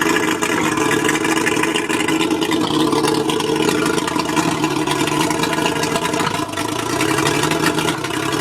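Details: Mercury 135 outboard misfiring at idle: ragged, uneven sound with the beat stumbling now and then instead of staying steady. Spark plugs suspected, not confirmed.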